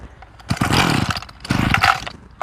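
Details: Small Mitsubishi two-stroke brush cutter with diaphragm-pump carburetor set very lean for economy, cold morning start after priming: two short bursts catching half a second then dying each pull; hard starting from lean mixture setting, fix by adjusting carb fuel screw.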